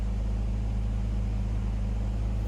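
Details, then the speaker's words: 2000 BMW 328Ci after replacing cracked hoses: steady even idle with a low constant hum, sitting high at about 1000 rpm, cause unknown to the owner; runs more stable than before, ABS and traction lights on. "but it seems like it's more stable i'm not sure why it's at 1000 rpm if you know comment below"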